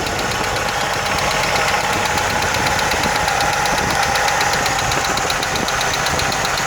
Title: 1980 Jeep CJ7 ticking noise